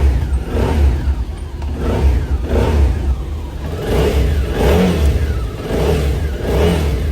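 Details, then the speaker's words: QJ SRT650 (骁650) twin rebuilt after seized, deformed conrod bearings, worn conrods and scored parts, fitted with a Suzuki 650 crankshaft; first start after rebuild, blipped repeatedly, revs climb and drop cleanly with no knock or rattle, sounds healthy. "装机视频我就没录，直接给大家上一个着车视频吧。"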